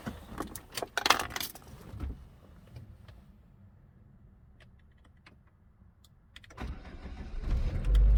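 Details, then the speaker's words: Saab 9-3 after replacing ignition coils (recent new plugs) for misfire codes, idle shaking, flashing check engine, jerking and power loss: keys rattle, engine starts and settles into a steady even idle. "dobra zaczekam chwilkę silnik równo chodzi i wcześniej już tak było że po odpaleniu zaczął sam drgać"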